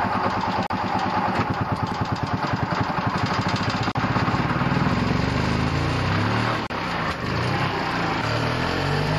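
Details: 2-stroke gasoline EZGO golf cart engine with scored piston ring, one ring totally missing, carbon-laden exhaust port and leaking base gasket, started with muffler refitted: uneven popping rhythm rising from slow, weak ragged note from low compression.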